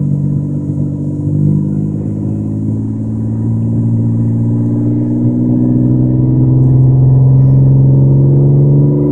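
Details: Toyota Camry throttled from idle to 5000 rpm and back, engine rumble with a raspy puffing edge that swells with revs, exaggerated by the cellphone microphone; exhaust leak on an otherwise smooth-running engine.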